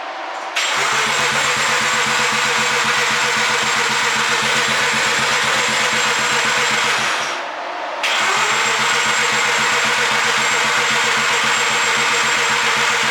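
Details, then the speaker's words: BMW cold start attempt: steady starter churn in two long bursts, never fires, cranking tone changes with throttle; owner suspects it needs spark plugs or isn't getting enough fuel; crank, no-start. "i myself think that it either needs plugs or it's not getting enough fuel because i can hold the gas down as i'm cranking it and that shouldn't really matter"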